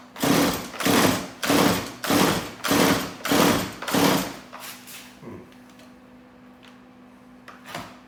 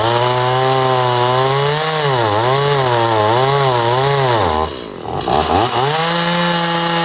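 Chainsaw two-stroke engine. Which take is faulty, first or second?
first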